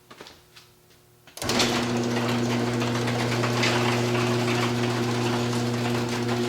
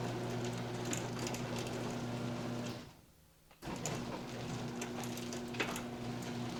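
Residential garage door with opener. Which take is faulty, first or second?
first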